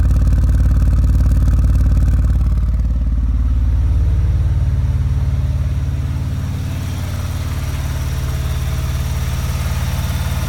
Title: RX7 misfire